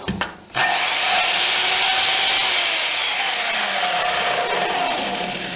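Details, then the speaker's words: Skilsaw SPT77WML worm-drive circular saw from a pile of broken saws, plugged into a GFI-protected outlet: smooth, steady high-pitched motor whir holding even speed after spin-up, no grinding, rattle or surging. Runs perfectly. "That one sounds perfect. That one is Wildwood certified."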